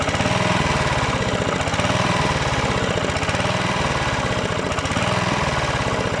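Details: Rebuilt Honda GV150 engine (transmission still disassembled) runs loud and rough with an uneven, lumpy, surging beat; owner suspects ignition, coil, unreplaced spark plug, or the fuel filter. Cause unconfirmed.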